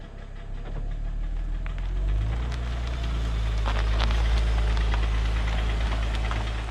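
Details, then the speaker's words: 2007 Mercedes E350 with a knocking engine and heavy oil consumption, driving away. Heavy engine drone with an uneven rapid knock underneath at about four per second, and blue oil smoke. Piston knock; new pistons fitted in a rebuild. "As you can hear, the engine is knocking. So, I'm assuming this was the problem that made the previous owner give up on this car."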